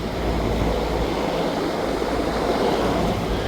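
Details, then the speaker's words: Rheem 10-ton rooftop AC unit that was not cooling only because the thermostat setpoint was above room temperature; lowered to 67°F, fan and compressor run with a steady, even rush, no knocks or rattles, and no errors. "está funcionando correctamente no ha arrojado ningún tipo de problema ni error"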